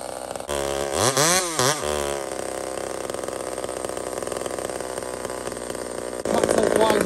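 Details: Small Homelite chainsaw, described as 28 full house on a stock chain, cutting wood: blips up and down, then holds a strong high-pitched steady howl as it cuts. Normal cutting; healthy, pulls cleanly under load.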